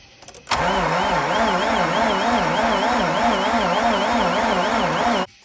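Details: 2004 Mazda RX-8 manual, barn find not started in 2 years, repeatedly deflooded; starter cranks about five seconds, rising and falling evenly with each compression pulse, but the engine never catches; alternator pulley not spinning.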